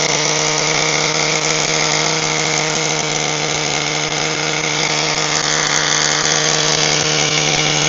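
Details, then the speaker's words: HPI Firestorm 1/10 nitro stadium truck after fixing a seized engine, preheated, good compression; high-pitched, steady buzzing scream holding even revs without stumbles or misses, running cleanly. "well Happy Days okay well that was a real slug although eventually managed to get the engine up and running"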